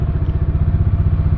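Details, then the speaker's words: Bajaj Dominar 400 idling after sitting five days, with loose battery terminal bolts tightened as the likely cause of its earlier starting trouble; steady, even idle thump at about eight beats a second with no knocks, misses or rattles. Normal idle. "But there is absolutely no issue. I think just the battery bolts were loose and nothing else."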